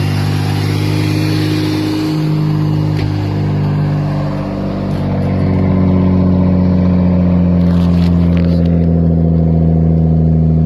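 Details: Straight-piped Subaru SVX flat-six with dual throttle bodies, jump-started: a loud, raw, steady six-cylinder drone with a deep hollow rasp that swells on throttle; an exhaust with no mufflers.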